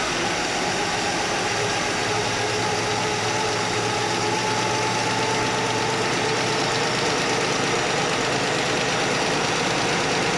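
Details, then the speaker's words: Straight-six Chevy Nova after readjusting the one crooked, clanking rocker arm: even, steady idle with no clank or tick from the top end, smooth continuous hum; valvetrain now quiet. "All right, guys, good news. It's not clanky anymore. It was just the one rocker."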